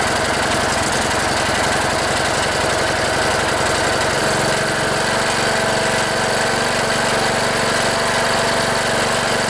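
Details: Cub Cadet LT1018 mower, 18.5 hp Briggs & Stratton Intek OHV single, after replacing fouled spark plug, carburetor work, started with starting fluid: fires and settles into steady, even run, no misses, smoke clearing; running normally.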